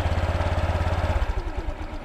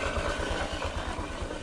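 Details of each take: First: Honda Click scooter after fixing a scraping noise traced to a torque drive bearing: even, steady idle with no rattle or grinding; drive now quiet. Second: Honda Click scooter at idle and with the rear wheel spun: a rough scraping noise from the belt-drive side, which the owner suspects comes from the torque drive; the crankcase cover is being removed to confirm.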